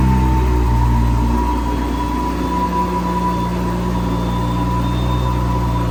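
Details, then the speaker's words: BMW N55 turbo six on a flex-fuel E85 tune with a Beamer Haas intake; owner has had trouble holding boost and is fitting an M2 diverter valve. At startup idle there is a deep even low drone with a constant intake whistle, no misses or rattles; sounds healthy. "We're operating with Beamer Haas intake, so it is going to pull in crazy amounts of air at startup. You're going to hear the ridiculous howl."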